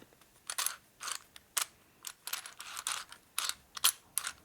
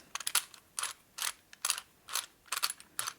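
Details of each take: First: 1961 Harley-Davidson XLCH Sportster oil pump during engine rebuild, turned by hand after the gears seated: light ratcheting clicks in quick uneven bursts, the gears now rotating freely without binding. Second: 1961 Harley-Davidson XLCH Sportster oil pump during engine rebuild, cleaned and reamed, turned by hand on the bench: slow uneven ratcheting clicks about once a second as the gears catch and bind at a high spot, still fitting themselves in.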